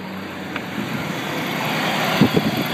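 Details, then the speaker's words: Truck warmed up with a new TPS and connector: steady fast idle holding about 1250–1300 rpm without dropping, no clear knock or misfire; owner suspects a throttle position sensor problem, TPS reading stuck at zero percent. "it definitely TPS related um because you can see it's got a high idle 1300 RPM 1250 1300"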